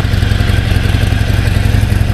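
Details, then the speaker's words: Harley-Davidson XL883C Sportster on stock pipes, idling in neutral just after start on a warm day: deep, loping potato-potato V-twin rumble with strong low tone; healthy normal idle. "Wow. Absolutely wow. The sound this bike makes,"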